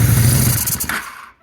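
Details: 2001 Honda Shadow VT600CD: idles fine, but the thumping note sags and fades nearly to nothing as the throttle opens; bog on acceleration, no fuel from the accelerator pump nozzle; cause suspected, not confirmed.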